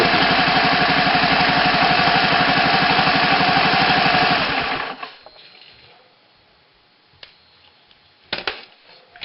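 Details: Rebuilt Honda ATC 110: small single cylinder thumps evenly at about four beats a second, then shuts off cleanly; healthy, steady idle.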